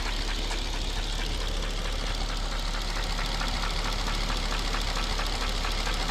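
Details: Mercedes-Benz W220 S430/S500 V8 during BG engine restoration oil change: idling with a dull, slightly uneven knock about once a second under the hum; internal knock at idle, cause not yet pinned down.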